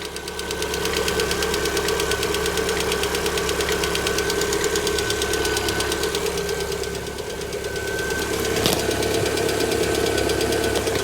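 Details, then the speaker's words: 2018 Lada Vesta 1.6, 84,000 km, cold idle at about −31°C, several minutes after start: fast, even ticking about two per second near cylinder four; one hydraulic lifter failing to pump up. "ну что гидрик один все еще разоряется уже во сколько минут 341 гидрокомпенсатор где-то здесь вот у четвертого цилиндра гетто здесь колбасит отчетливо слышу не как прокачаться не может"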